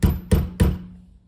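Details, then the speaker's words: 1997 Toyota RAV4 spare tire on 2003 Nissan Altima wheels made for acorn lug nuts: three sharp ringing metallic knocks from the Toyota lug nut washer, which doesn't seat against the wheel; loose lug nut washer rattle. "The sound is coming from the lug nut washer. It makes noise when it's not pressed against anything."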